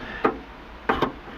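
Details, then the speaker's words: Chrysler PT Cruiser rear hatch that would not open (code B186D), with a new latch switch plugged in for the test. Inside-switch activation gives one sharp click, then a crisp pair: the latch actuator operates normally, confirming the old switch was the fault. "when I activate the switch from inside that you can hear the latch opening and closing so we have confirmed this is our problem"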